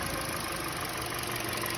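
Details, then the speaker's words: Toyota Voxy after replacing old alternator with worn variable pulley and battery: steady, even idle with smooth hum, the earlier noise and battery warning light gone. "ó zou acabou o problema Acabou o barulho funcionando"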